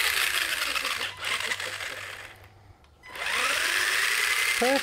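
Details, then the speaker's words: Brushed RC car motor on a 60A waterproof brushed ESC, after reversing the motor wires (red to blue, black to yellow): a high whine climbs with throttle, brakes, then reverses on the second push; normal motor and ESC operation. "so we've got we've got full forward we've got break and then the second push using within fat butt reverse so that is really good that is all working really well"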